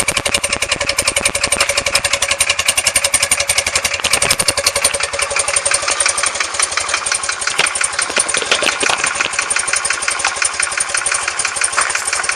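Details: BMW R100S boxer, about 500 km after engine rebuild (heads retorqued, rockers adjusted), cold idle: sharp rapid ticking knock about three per second on the left side, gone when warm; cause not yet found.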